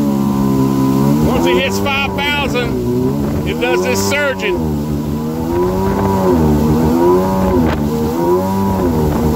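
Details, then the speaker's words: Rebuilt 2000 Yamaha XL800 two-stroke, with new crank, rods, pistons, rings and impeller and rebuilt Mikuni carbs, at steady mid throttle below 5000 rpm, about 27: the note swells and sags every few seconds; surging, fine at idle, cause unknown. "i ease into the throttle maybe here we go stand below 5000 at about that much throttle i can get it to run i'll go about 27 and i have to let out of the throttle"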